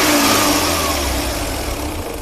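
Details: Changan Karvan after an idle control (electric choke) fault caused high, hunting rpm; choke bypassed and rpm set via the accelerator cable. Smooth rev falls evenly back to idle, no hunting or surging: normal revving after the fix.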